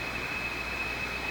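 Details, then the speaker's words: National HRO receiver during IF alignment, with the ground not yet connected. A steady hiss carries a thin high ringing tone, first thought to be the crystal filter, but adjusting the filter doesn't change it; the source is unconfirmed. "you hear a ringy a ringy sort of sound in there like something's trying to ring but it can't quite do"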